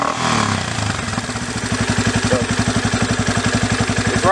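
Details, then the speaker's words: Yamaha Raptor 350 single after carburetor rebuild and idle screw adjustment: quick throttle blip with clean pickup, no stumble or hesitation, settling to a steady thump; pickup really good, no other carburetor adjustments needed. "throttle pickup on it is really good, so I don't need to adjust any of the other adjustments on the carburetor, which is good."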